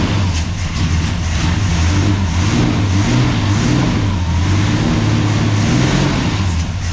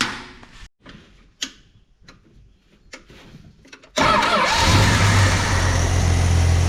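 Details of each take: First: 1969 International C1100 pickup, Valiant 265 Hemi six, first start after sitting years on mechanical pump: loud low lumpy uneven running, occasional stumble; owner suspects lifters or dodgy plugs. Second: 1969 International C1100 pickup repowered with Valiant 265 Hemi, after sitting years, no radiator: engine fires and holds a steady, even smooth idle; normal idle.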